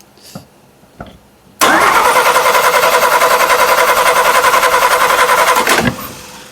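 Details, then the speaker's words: 1941 Chrysler flathead six coupe on 87 octane, starter shorted directly: steady cranking about 3.5 turns a second for four seconds with no firing; ignition system is suspected. "Nothing. Yeah, I got doubts about this ignition system to be honest."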